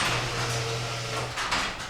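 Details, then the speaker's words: Garage door opener, door sticking: a steady low motor hum for about 1.5 s churning as if overworking, then it cuts out as the door stops partway up; cause not found. "It went up and then it stopped. You could hear the motor kind of churn like it was working overtime or something."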